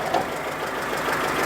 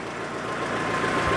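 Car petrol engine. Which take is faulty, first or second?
first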